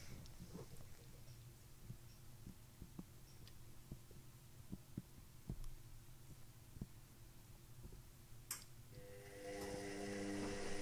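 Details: Indesit WIXL143 front-loader: sharp, uneven clicks over a low hum in the first 2–5 seconds, then nothing; the cycle doesn't finish, with Stain removal, Easy iron and door lock lights flashing. Fault unknown.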